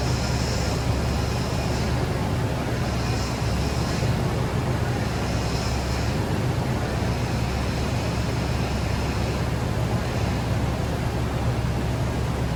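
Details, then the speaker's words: 2013 Nissan Armada after power steering leak repair, idling: low droning pump hum with a faint whir, improving as it runs; power steering pump noise from air in the system bleeding out. "as you guys could hear it's getting better and better as it runs the air is coming out of it"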